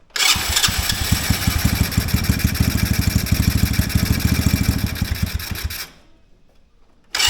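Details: Mini Jeep during idle screw adjustment: engine catches, fires rough and uneven for about six seconds then stumbles and dies; owner suspects a sticking carb slide, given the dirty air filter.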